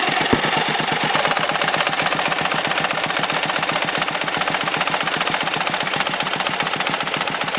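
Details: Dnepr motorcycle engine with a sharp, fairly regular knock at about four per second over the running note. The knock comes and goes, cutting power and spitting fuel from the carburetor, and disappears before stalling or at high rpm. Cause not pinned down.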